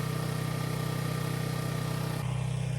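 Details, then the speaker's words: Homemade RV setup with a Champion 4500 W generator: steady low drone with a fast, even firing pulse and no hunting or misses; it started once the too-open choke was closed a little, running smoothly at constant speed. "so we got it running i actually had the choke open too much so as soon as i closed the choke a little bit it started running"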